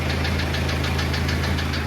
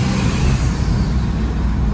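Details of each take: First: Diesel engine on a drive with possibly too much oil pressure: sharp knocks about seven a second hammering over a rough run; internal engine problem, a damaged piston knocking. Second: Diesel after blown head gasket repair (head removed and reinstalled) following 2000 miles of knocking, pulling hard on a long drive: steady drone with no knock, some blow-by, zero cooling-system pressure.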